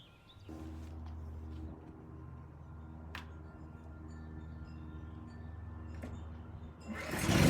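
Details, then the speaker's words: Generac LP3250 propane generator, about 7 years old, after regulator repair, started with choke off and no primer: quiet steady low hum at constant speed, no surging, misfire or rattle; runs smooth, 119 V 60 Hz. "this thing fired right up and sounded good both loaded and unloaded so i'd say this one's done"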